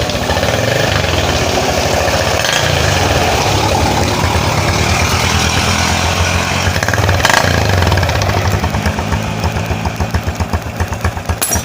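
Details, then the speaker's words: Honda Blade 110 single-cylinder motorcycle at idle after replacing a bent valve (caused by a loose cam chain) that had cost compression: quick, even patter with no knocking or misfire, settling smoothly as it warms; running normally again. "Teman-teman dengarkan suaranya, ini masih sangat mulus ya. Ini teman-teman dengarkan. Jadi motornya ini sudah normal kembali ya teman-teman."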